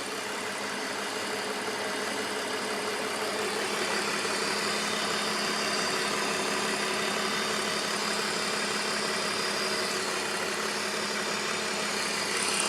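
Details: BMW E46 at idle: light, fairly even diesel-like tick, about three per second, over a smooth idle; top-end tick of unknown origin.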